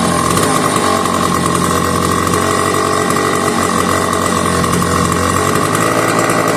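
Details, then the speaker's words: McCulloch 1-52 chainsaw clamped in vise, restarted warm with a little fuel after earlier hard start: loud buzzing two-stroke at high revs, fairly steady with slight wavering, smoky. "She ran and she made one beautiful racket."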